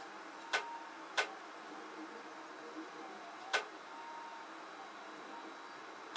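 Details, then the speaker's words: Near a 3D printer: sharp, irregular ticks about four times in six seconds over a faint hum; a part is jumping and banging against the printer's edge, cause unknown. "I don't know what's causing that to go like it is like jumping you see how it's jumping there and it's actually banging against the edge of the printer here"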